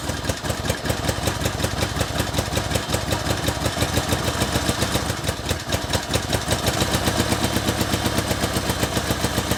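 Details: 1964 Honda Benly CA95 150 twin, first run in 30 years after tank flush and new throttle cable; quick, even popping beat settling into a steady idle with no misses, running cleanly; normal idle.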